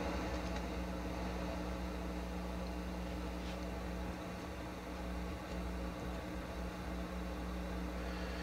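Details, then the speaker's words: Akai GX-230D open-reel tape deck paused in play position with the volume near 12 o'clock: a steady rushing hiss with no hum. Suspected to come from inside the playback amplifiers. Excessive playback hiss. "so we're getting a lot of noise hiss and noise and rushing noise but there's no hum so that tells me it's not externally induced this noise i think it's coming within the the amplifiers themselves"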